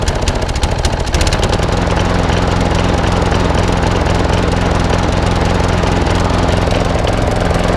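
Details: Old Masport lawnmower with a Briggs and Stratton single-cylinder engine, after a full service: steady speed but a slightly uneven beat with occasional skipped strokes, a mild misfire; owner suspects the carburettor needs cleaning again, possibly the coil too.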